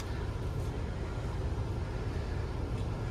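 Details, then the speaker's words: 1997 Carrier LP furnace whose 3 amp fuse kept blowing from a low-voltage short, being cycled off and on: blower runs on with a low steady rumble after the burner shuts off, no scraping or rattle; normal fan delay. "It's a beautiful thing. Fan delay."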